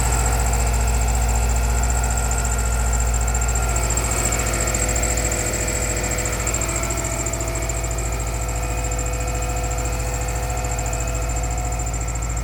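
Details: Subaru EJ25 cold start at -16° engine temperature, early morning: steady, even tapping knock about three per second over the idle; cold-start engine knock, cause not pinned down.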